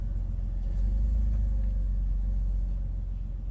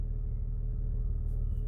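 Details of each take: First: Jeep Wrangler idling roughly, deep uneven rumble surging about every five seconds; alternator clutch pulley found popping out (ignored) and throttle body needed cleaning, which was the fix applied. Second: Jeep Wrangler idling steadily after throttle body cleaning, at a simulated stop sign: low even rumble with no surging or revving, where it previously revved and inched forward every five seconds. Normal idle after repair.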